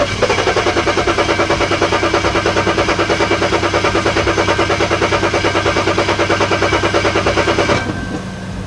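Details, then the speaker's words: BMW 335i that won't start, DMDL just replaced: fast, even starter cranking for about eight seconds that never catches; the fuel gauge was likely misreading and the tank probably out of fuel. "guys my friend is a genius so my friend was like sometimes that gauge lies to you and your fuel like you're out of fuel like I guess there's something wrong with my gauge"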